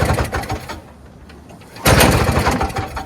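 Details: Free early-2000s Toro Snow Commander 7HP R-Tek 24-inch single-stage two-stroke snowblower, long unused, starter removed for stripped Bendix gear, pull-started: catches briefly with uneven firing then dies; spark present, fuel not reaching engine, blocked tank supply.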